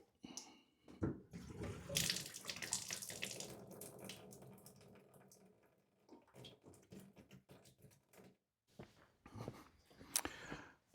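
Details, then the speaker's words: Off-grid private well, morning: thin, uneven trickle from the tap, splashing that comes and goes with silent gaps and no steady stream; water supply failing, cause not yet investigated. "And this morning at 5:30, the water's gone off, as you will see from that first trickle coming out of the tap."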